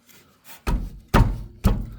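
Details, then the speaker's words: Mercedes W210: three heavy, dull metal thunks about half a second apart from the right side as the loose joint is rocked; the ball joint's pressed-in cup has come away from the control arm. "Заїхав 210й Mercedes. Стук з правої сторони. Почав я придивлятися. Шарова відійшла від ричага."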